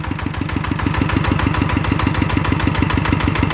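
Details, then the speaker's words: One of two single-cylinder ET diesels (ET95/ET110) refitted for water pumping after seepage and an air-leak noise, cover replaced: crisp regular thump at about three beats a second, no knock or miss; runs smooth, judged fine. "ก็ถือว่านิ่มดีนะครับใช้ได้นะครับ"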